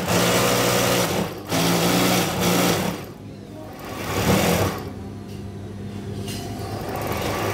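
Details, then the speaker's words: Brother X-Komputer sewing machine, built for heavy thick stitching: fast, even mechanical chatter with a buzzing hum that eases and picks up with speed; coarse-sounding but healthy, normal running. "Memang terdengar kasar, tapi ini menunjukkan apa itu ee?"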